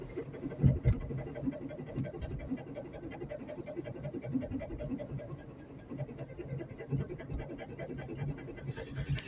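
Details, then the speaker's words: 2003 Toyota Corolla, 166,000 miles: rough, quickly repeating pulsing scrape under braking from the rear; owner suspects worn or misadjusted rear drum brakes or parking brake. "It's coming from the back. As you guys know, Toyota Corolla has drum brakes, and I think it's a drum brake issue with or a misadjusted um parking brake system or the brake is probably just worn out."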